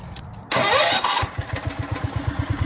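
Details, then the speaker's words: Wheel Horse C-160 garden tractor, previously ran only on full choke, after turning around a reversed fuel shut-off valve that kinked the fuel line: short crank, catches and settles into steady, even idle; fires right up, runs good. "fires right up Run's good so yeah that's all it was all that trouble probably didn't even need to clean the carburetor just need to turn that fuel line"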